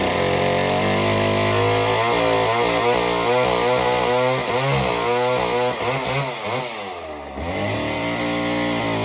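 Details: Homelite Super Mini chainsaw, customer saw that wouldn't run, rev or idle, after idle speed screw turned about a turn and a half: strong even two-stroke buzz dips smoothly biting into a big log and picks right back up; runs really well.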